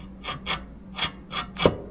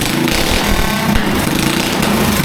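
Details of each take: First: Locked-up built race engine turned by hand gives about five harsh scraping rasps in two seconds, one per turn, like loose metal catching inside. A part is smashed and ground, and a plastic gear is broken and wobbly. Foreign object strike. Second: Rebuilt Predator 212cc racing engine on a go-kart with Nibby carburetor and short performance exhaust: loud, steady, crisp single-cylinder buzz at even revs, no misses, knocks or rattles. Normal running after repair.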